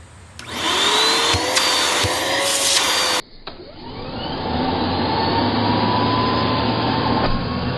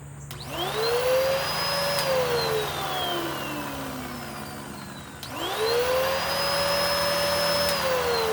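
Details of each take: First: Curb-find Bissell PowerClean vacuum with clogged filters and worn belt, bearings possibly iffy, checked at the neck: strong steady motor roar with clean rushing airflow, no rattles; airflow and suction healthy. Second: Curb-found Bissell PowerClean upright vacuum, likely 2016 model, first power-on: motor whine climbs to a steady high note, winds down, spins up again, airplane overhead; owner suspects bearings and massive clogs; worn belt and abused filters noted.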